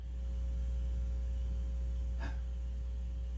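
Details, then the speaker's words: Harman Kardon 300B amplifier under repair in phono mode: slow, low putt-putt pulsing about four times a second over a typical slight hum in both channels; motorboating, possibly a capacitor or wiring in a sensitive area. "so yeah and yep i'm picking up a motorboat over here"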